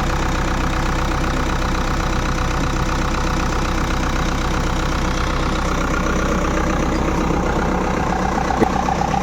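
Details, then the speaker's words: Four-cylinder industrial engine first morning start after complete overhaul (crank ground after dust entry from air filter failure), radiator filled: steady even idle, smooth regular beat, no knocks, misses or rattles; running healthy. "చూశారు కదా engine sound ఎంత ముచ్చటగా ఉందో."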